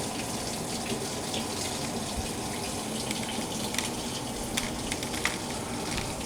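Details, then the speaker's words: LG WT1101CW direct-drive top-load washer, after replacing a stuck relay on the control board: cold water fills the drum steadily with no hum, buzz or clatter after load sensing, as the machine switches to wash; normal water fill. "hopefully it fills the water soon still load sensing oh now just switch to wash up we're filling the water that's cool i think it's working boys and girls"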